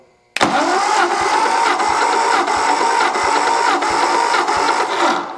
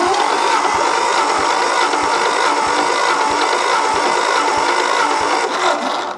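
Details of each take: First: 1964 Ford F250, 223 six, rechecking compression cylinder by cylinder after running: steady starter whine with strong, even compression beats about every 0.7 s. Compression much better than when first started. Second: 1964 Ford F250 with the 223 six, cranked with all spark plugs removed for a compression test after oiling the cylinders: the starter whirs steadily with soft, even pulses about three a second and no firing.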